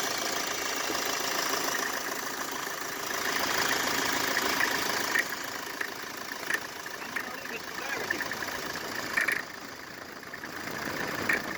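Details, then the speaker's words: Mercedes Vito W639 with OM646 diesel at cold idle: fast, uneven metallic chatter over the clatter, squeal and knock when cold; stethoscope traces it to the air-con compressor clutch/mounting, temporarily bypassed by a shorter belt skipping the AC pulley. "слушал фонендоскопом Похоже это звук идёт с муфты кондиционера"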